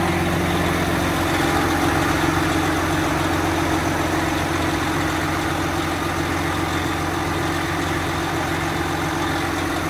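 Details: Freshly rebuilt 12.7 L Detroit Series 60 diesel, after electronic runaway traced to possible moisture arcing harness pin connectors and cleaned: steady, even idle with low drumming beat, no misses, knocks or surging. Normal idle.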